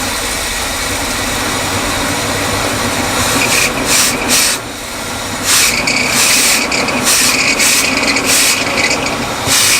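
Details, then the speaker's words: Abandoned Winnebago motorhome, just revived with fresh fuel needed: a harsh, raspy high-pitched scream surges unevenly over the running engine. Owner suspects the alternator bearings, and hopes it is not the water pump or something else. "As you may have heard in the clips last night when we got this thing running, the alternator bearings not happy. Uh, something's screaming a lot up there. It really sounds like it's the alternator."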